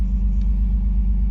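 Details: Pontiac Fiero with hot cam, after replacing a rusty fuel pressure regulator and injectors, timing set to 10° BTDC, about 20 inHg vacuum: steady deep idle rumble with no knocks, misses or hunting; normal idle.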